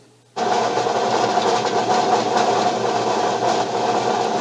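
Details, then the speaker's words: Bench grinder running: motor kicks on to a steady hum with a faint, fast buzzing rattle from a top cover with a missing screw; it goes quiet when the cover is held by hand. "there is uh a screw missing on the cover one of the um the covers at the top which does just make a little bit of a r rattle um when you actually hear it running"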